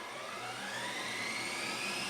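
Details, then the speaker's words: Sharp VC-MH75HM VHS VCR entering high-speed rewind after starting slowly: thin whirring whine climbing in pitch as reels speed up, even, no scraping; normal, about as loud as a Sony deck. "Ah, you can hear it. Probably about the same volume as my Sony. Yeah, they literally just chew through these tapes in terms of, you know, the speed of rewind."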